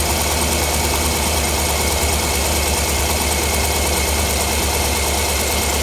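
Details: 2009 Cadillac Escalade 6.2 V8 running with valve cover off to test: fast light ticking over a steady idle; one rocker seen getting no oil, owner suspects the oil pickup. Not confirmed.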